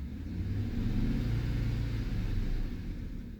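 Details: 2009 Chevy Silverado 5.3L, cylinder 2 misfire: rough, uneven low rumble swelling on a light rev with an irregular stumble; burnt, closed-gap cylinder 2 plug blamed, no lifter tapping heard, plugs to be replaced and retested.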